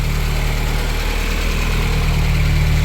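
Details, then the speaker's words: Porsche 924 Turbo with new battery: steady warm idle with an even low rumble and no knocks, ticks or misses; the engine runs healthy. "But yeah, this is the engine. It runs healthy."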